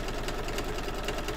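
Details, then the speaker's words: Embroidery machine stitching a quilt block in the hoop: quick, regular dull thumps at stitching pace over the machine hum; it sounds thumpy and a bit loud, cause unidentified, and the owner will keep an eye on it. "sounds a bit thumpy doesn't it I'm just listening if I stop talking I'm just listening very carefully because I want to hear if there's anything going on with my machine"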